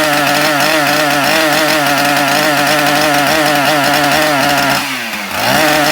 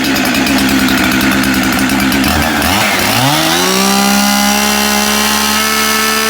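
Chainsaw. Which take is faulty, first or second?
first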